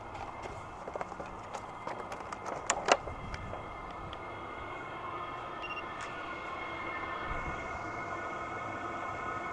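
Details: SILVEL 8kW 12V diesel air heater, first use, about five minutes in, blowing warm air: a few handling clicks, then steady even fan hum with constant tone; running normally.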